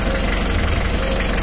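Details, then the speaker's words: Mitsubishi L300 diesel at idle, not throttled, during a radiator fan airflow test with a cloth held behind the fan. Even low rumble with a strong, smooth fan rush, no knocks or rattles. Fan airflow is already strong; healthy idle. "masih posisi itu Hai kekasih Dul bukan bukan khas besar ini masih posisi Idul Jalan anginnya udah cukup besar ini masih gas ideal ini bukan masih belum pakai tancap gas ini"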